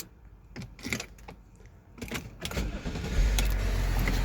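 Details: Range Rover L322 after a stuck ignition key was freed by spraying WD-40 through a drilled hole to the solenoid: key clicks, a short crank, then it starts first time and settles into a steady idle.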